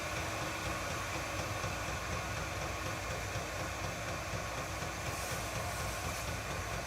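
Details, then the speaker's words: Chinese all-in-one diesel parking heater in shuttle bus RV conversion, first test fire on high just after ignition, fan ramping up: steady even blower roar over low soft combustion rumble, no knocks or surges; normal running, fan on high. "I hear the fan starting to kick on a little higher. Yeah, the fan is coming up more and more."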